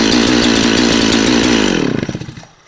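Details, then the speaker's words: Husqvarna 365 Special chainsaw started in single-digit cold after 3 pulls: screaming smooth and even at high revs, no misses or rattles, winding down cleanly at shutoff; normal running. "It took 3 pulls and that saw started up. So this is going to be a great saw, 565, 365 special."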